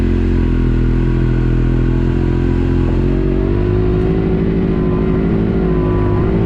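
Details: Yamaha YXZ with newly installed Agency supercharger (stiffer bypass valve spring, vacuum lines smoke-tested, 4-5 lbs boost): rough drone climbing slowly and unevenly in first gear, bogging from low revs, burbling and almost backfiring; no gain over stock, cause unknown.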